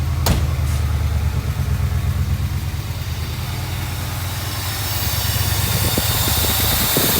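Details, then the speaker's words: 1982 Mercedes 380SL V8 starting on the first turn of the key after fitting a new distributor cap and rotor, repositioning the idle air control valve and routing vacuum lines per factory manuals; smooth steady idle, no smoke from exhaust. "first turn of the key and he is really running well no smoke out of the exhaust"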